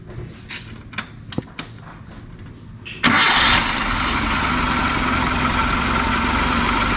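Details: Original 4x4 Suzuki Jimny Katana with engine fan replaced by a Suzuki Vitara fan, so it sounds unlike typical Katanas; a few clicks, then the engine catches quickly and settles into a steady, even idle, no knocks or misses: normal start and idle.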